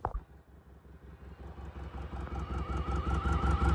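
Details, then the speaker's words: 1989 Mustang with LS swap on its first drive, sitting in the driveway approach: low, uneven chugging pulses with a sharp puffing tick on each beat that grows with revs. Owner says a big exhaust leak right there. "I don't know, but we have one hell of an exhaust leak right there."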